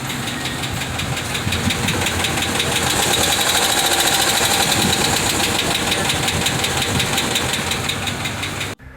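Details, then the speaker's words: Warm Hemi V8 at operating temperature, idling with a light, quick metallic tick-tick or ting-ting over the idle, the hot Hemi tick from failing roller lifter needle bearings. "we are talking about a hot tick one when the engine is at operating temperature at idle you can hear a little tick tick tick or a ting ting ting noises"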